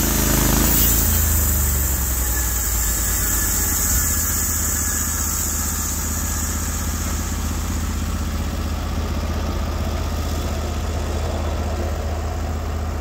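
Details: Norwood HD36v2 bandsaw mill, day two testing new roller guides that replaced the ceramic guides, slabbing big black oak through bark at about 24 in wide: a steady, even engine drone under load with no surging or hunting; the motor sounds properly loaded and healthy.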